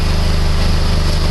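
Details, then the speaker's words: PT Cruiser 2.4 after a used cylinder head was installed to cure an idle misfire, warm after 15-20 minutes running: a smooth, even idle with no whining or missing; an exhaust leak at a broken clamp. "Everything's nice and smooth. You see, everything sounds good. There's no whining. No missing. Everything's nice and smooth."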